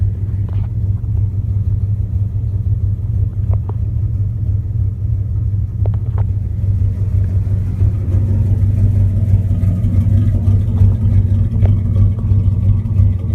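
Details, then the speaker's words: 1998 Dodge Ram 5.9 Magnum V8 after all valve seals were replaced, with a cracked catalytic converter and no overheating or oil-pressure loss: deep uneven rumble with an irregular stumble as it revs, a clear misfire; owner suspects rings or plenum gasket. "I mean you can hear that misfire"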